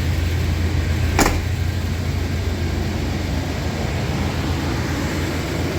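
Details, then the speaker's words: 1994 Chevy OBS truck V8 starting and idling right after fuel pump and sending unit replacement, system primed; steady even low rumble with one brief early click, smooth healthy idle, no leaks seen. "so other than that it sounds like we're good to go finally got the gold truck back up and running again"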